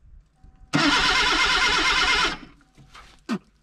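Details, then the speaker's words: 1979 Datsun sitting about 30 years, starter jumped: steady rhythmic cranking for about a second and a half, engine turns over freely but never fires; starter works, not locked up, no start yet. "that's a good sign at least the starter works now we just gotta get fired everything now we have crankage"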